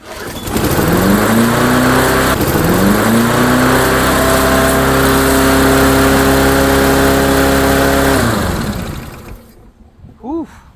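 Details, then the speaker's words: Late-90s Murray-built Dynamark Plus 21-inch mower catches on a spray of carb cleaner and races to a high, steady scream with nothing holding it back; it is overspeeding because the throttle linkage is disconnected or stuck. "Ran a little bit fast there, I think. Wow. That's, that throttle needs to be adjusted."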